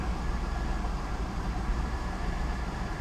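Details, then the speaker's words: Pontiac G8 GT after new transmission lines, radiator, and transmission and coolant refill, check engine light newly on: low drone with a slightly uneven, wavering beat; running a little rough, and drive engagement feels wrong. "It's running a little rough. I'm going to put it in reverse."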